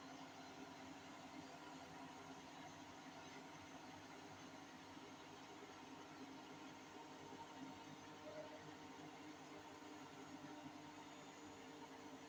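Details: Hotpoint 8kg NSWM 843C Invermotor 1400 washing machine during a fast 1400 rpm spin: steady droning rumble with a low, even hum from worn drum bearings; owner has repeatedly flagged the problem and a call to Hotpoint is planned.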